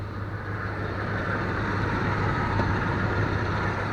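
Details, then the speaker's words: 1990 Dodge Ramcharger 5.9 360 V8, 4-speed overdrive, running without thermostat during chemical flush after overheating: low steady idle with even hum, no knocks or ticks; quiet and smooth. "You can hear it. Sounds pretty quiet."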